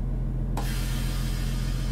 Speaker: man hört es zischt. Die Nadel geht runter auf fast 0 Bar.